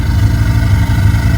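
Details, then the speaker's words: Mazda RX-7 FC 13B rotary, converted 6-port to Turbo II intake with standalone aftermarket ECU, just started: steady, even low buzzing idle with no misses or surging; normal, healthy idle. "I guess I hit the nail on the head with uh the cranking there cuz it obviously fired right up"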